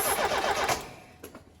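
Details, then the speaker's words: Ford Fiesta RS Turbo, stored in a garage for 17 years and original apart from the exhaust; the fuel gauge reads empty. On a squirt of fuel the engine bursts into life then dies within a second. Fuel starvation from a dead fuel pump. "Fuel pump's not having it. It's going in, tank's coming out. We're going to rip this pump out."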